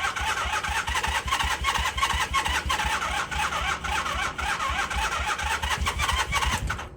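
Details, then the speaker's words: 1978 Honda CB400A Hondamatic that sat outside 10+ years: steady fast cranking churn, about three beats a second, never catching; no fuel in the carburetor float bowl, so the engine is starved of fuel. "All right, so I just undid the drain screw here, and fuel did not come out of there, which means there's not fuel in the bowl."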